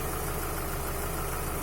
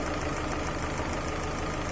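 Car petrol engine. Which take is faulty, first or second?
first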